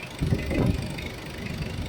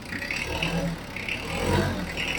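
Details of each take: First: Mitsubishi Adventure diesel idling: uneven rhythm with heavier thumps, slight misfire causing shaking and sudden vibration surges; customer complained of noisy engine, suspected valves. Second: Mitsubishi Adventure diesel, 32,000 km, customer complained of noisy valves; idling and revved, engine needing oil change: steady idle with gentle swells, no ticking heard; normal diesel idle, no valve tick.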